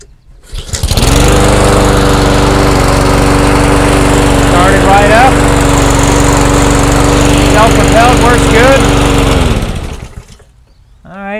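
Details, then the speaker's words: Honda GCV160 160cc mower engine, about 2007, manual choke, choked, just after cleaning a carburetor gummed by old gas: fires and holds a steady, even drone about eight seconds, then shuts off cleanly; no leaks; normal running. "right, seems to be running pretty good. No leaks, that's a good sign."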